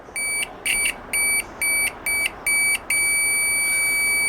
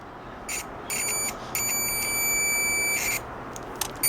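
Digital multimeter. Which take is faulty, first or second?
second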